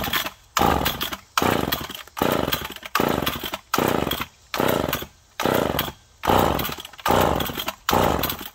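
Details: McCulloch Pro Mac 1010 chainsaw that had been smoking badly, first start after parts replaced, both carb screws one turn out: surges in rough bursts about every 0.8 s, dropping out between; rich running and flooding, fuel at exhaust, spark plug dry.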